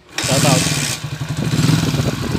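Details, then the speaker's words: TMX 155 single-cylinder motorcycle with sidecar, after a timing gear replacement, crankshaft end-play fix, and rebore for oil burning: catches and settles into a steady, even thumping idle, with the earlier rattling noise gone. "Yan na po yung andar niya ngayon wala na yung lato lato sound kanina na maingay yun"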